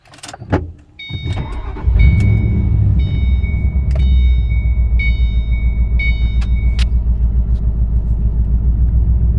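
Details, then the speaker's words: Mustang S197 3V V8 after fixing lean bank 1 and 2 and cylinder 6 misfire (vacuum lines, intake manifold gaskets resealed with RTV, fuel filter): deep, steady idle with no stumble, a high chime repeating; no more rough idle. "no more rough idle she runs good it sounds the motor sounds a lot better"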